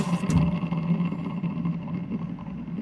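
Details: Washing machine with the belt removed so the motor runs alone: rough low hum with an uneven scraping drone, showing the noise comes from the motor, not the drum shaft; possibly a motor bearing.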